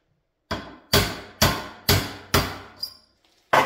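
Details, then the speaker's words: Rear axle bearing being driven on: six sharp metallic blows about half a second apart, ringing solid rather than hollow, as the bearing seats fully against the shoulder. "that's it that bearing is on all right we are perfectly seated against the shoulder"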